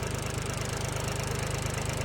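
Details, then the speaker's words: John Deere 1020 three-cylinder tractor after valve adjustment and new manifold; steady, even idle with regular low thump, no ticking or knocking, purring, though other minor noises now audible. "listen to that thing purr that just sounds beautiful now you can hear all kinds of other noises it's making"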